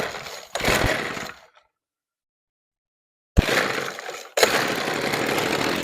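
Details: Old Weed Eater LT7000 15-inch two-stroke trimmer, after backing out its single high mixture screw about a quarter turn: raspy roar cuts off, restarts and holds strong even revs; runs really good.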